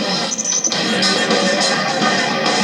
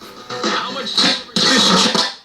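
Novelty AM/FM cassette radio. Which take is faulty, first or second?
second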